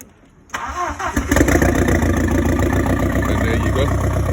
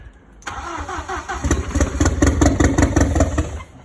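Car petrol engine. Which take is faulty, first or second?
second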